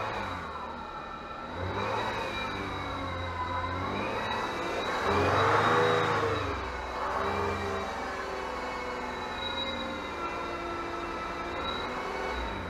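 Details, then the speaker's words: 2007 Citroën C6 2.7 V6 twin-turbo diesel, long stood, revs raised: turbo whoosh plus a dry, high-pitched metallic squeal and whine from a dry bearing; drive belt tensioner or idler suspected, idler pulley bearing found. "but one of the noises is a dry bearing a whining and a sort of high-pitched squealing like a dry metal noise so what i need to do is find out what's causing that"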